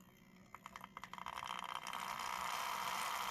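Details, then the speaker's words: Tri-ang/Hornby OO gauge Jinty 0-6-0 tank engine with X04 motor, tested after restoration and contact adjustment: slow uneven ticking start rising to a steady high whine; motor runs sluggishly, stops, and won't run backwards. "bit sluggish it and it stops backwards nothing"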